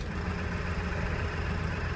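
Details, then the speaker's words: 2001 Ford 7.3 Powerstroke, hard start and rough when cold, just started after an oil change, before fix, pedal floored: heavy low flat diesel drone, revs don't climb, no boost. Several cylinders dead from sticking injectors; clears after 5–10 minutes. "I've just got so many cylinder is not contributing it's not going anywhere it doesn't have any power to create boost"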